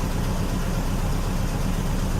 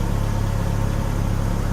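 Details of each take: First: 2000 Chevy Cavalier: steady rough idle rumble under heavy hiss; misfire, later shown moving to another cylinder. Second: 2000 Chevy Cavalier after misfire repair: low steady idle hum with even pulse and no stumbles or skips, running noticeably smoother than before; normal idle.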